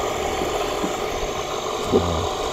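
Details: National-type water pump after repair of a leaking seal and worn shaft and bearing, test-pumping water: steady, even hum with no knocking, rattle or grinding; the pump sounds healthy.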